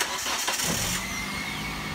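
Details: Car with very low fuel that would not start while parked on an incline; rear jacked up to help fuel pressure. Brief crank, then it catches at once and settles into an even idle. Normal start.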